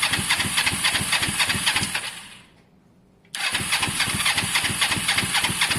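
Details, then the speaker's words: Honda SH125 scooter after engine rebuild: starter spins engine at even quick beat in two bursts, never fires; spark and fuel present, plugs only hand tight and suspected caked, need cleaning or replacing; crank no start. "genuinely think that the plugs are caked guys and they just so even though we're getting spark on the outside i think they need a good clean or change"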